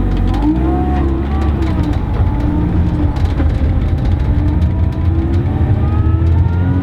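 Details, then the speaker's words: Supercharged car on test drive with relocated throttle body: wavering, fluttering whoosh rising and falling with revs under boost, compressor surge because the blow-off valve was installed incorrectly and wasn't working; bad for the supercharger. "that noise we were hearing was a compressor surge which is very bad not good for your supercharger / turbo charger"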